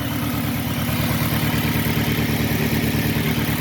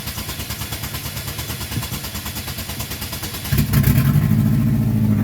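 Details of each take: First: 2006 Saturn Ion 3 after temporary exhaust leak repair with JB Weld and aluminum tape: steady, even idle with regular low exhaust pulse, a little sputtering but much quieter, no puffing leak; normal idle. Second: 2006 Saturn Ion 3, exhaust flex pipe blown out on the side, temporary JB Weld and aluminum tape repair not holding: steady cranking, then loud, raspy running with a puffing blat from the exhaust leak at the flex pipe.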